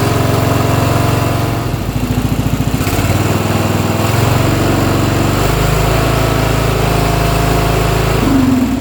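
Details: Briggs & Stratton Intek single-cylinder riding mower engine (Craftsman LT1000-type, 14–18 HP) after carburetor replacement, on choke: fires steadily with even beat and slight hunt; sounds much better, healthy.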